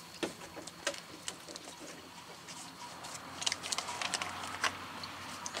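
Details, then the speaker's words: 2017 Ford Escape after intercooler replacement, engine off, cooling system being refilled with antifreeze: soft irregular ticks and bubbling patter as coolant gurgles down and trapped air bleeds out. "i don't know if you can hear this but right now it's actually bubbling so it is going down the system"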